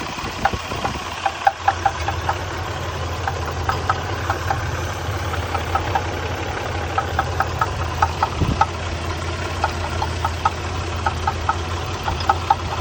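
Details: 1993 Nissan Pathfinder at idle: sharp metallic ticking knocks repeating at a steady rate over low idle rumble; engine knock, cause unknown.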